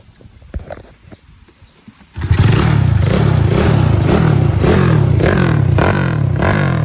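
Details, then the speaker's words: Honda Wave 125R, engine built with a 67 piston, "stroke 5", 2 valves: starts after a short pause and settles into a steady, low single-cylinder putter with an even beat and no knocking or clatter. Tight engine; normal, smooth idle. "เครื่องแน่นๆนะครับคันนี้รอบเดือนเบานิ่งๆนะครับ"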